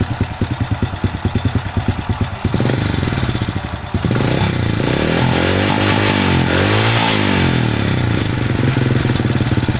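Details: Supra step-through motorcycle that would not start, after adjustment; settles into a steady even idle with a couple of clean throttle blips, no misfire or stumble; normal idle.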